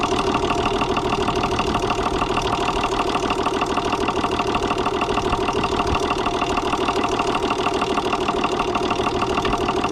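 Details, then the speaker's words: Gaso 3211 injection pump: steady mechanical clatter with loud valve slam and an even, rod-knock-like knock about three times a second; the knock is suspected to come from a loose crosshead, not confirmed. "this next clip you can hear a sound that sort of sounds like a rod knock now the fluid in on these the valves slam and shut the valves make a lot of noise but there is a sound in there that sounds sort of like a rod knock"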